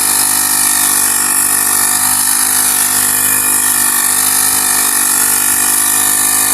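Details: Honda GX35 grass cutter after cleaning its dirty carburetor: high, steady buzz from the small four-stroke holding even revs with no surging or misfire. Normal running.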